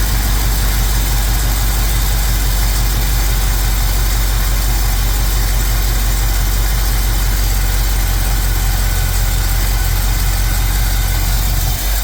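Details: Mostly original two-owner 1973 Camaro, first start after work, distributor turned counterclockwise: steady fast idle about twice normal that never drops back; finding is high idle.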